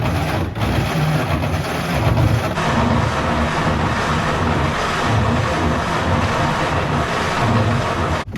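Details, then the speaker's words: 1934 Plymouth Standard 6, key on, choke engaged, fuel in the glass filters: slow steady starter cranking with even low thumps that never catch; cranks but no start, points to be cleaned next. "No fire in the hole. Yet. Alright, time to scrub the points."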